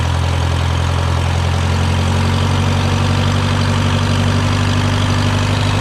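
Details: Case VAC tractor idling after a new aftermarket water pump was installed for overheating after a coolant change; gauge holding around 40°C, its normal temperature, with coolant flowing. Deep, steady, even low rumble, no knocks or whines; healthy.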